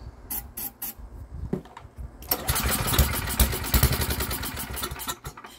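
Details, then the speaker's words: Estate-sale generator, good compression; just after cleaning the spark plug, pull-cord starts catch for a few uneven bursts on starting fluid then sputter out; owner suspects the spark plug. "almost i guess it may have been the spark plug i just cleaned it and it almost started"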